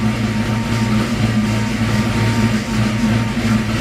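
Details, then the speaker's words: 1989 Ford Mustang GT 5.0 with aftermarket cam, stock mid-pipe, about 750 miles since engine build, just started after long sitting, cold: steady deep idle with gentle cam lope, no knocks or ticks; healthy. "but even with the stock mid-pipe you can still hear you can still hear it caming a little bit you can still hear the cam and everything"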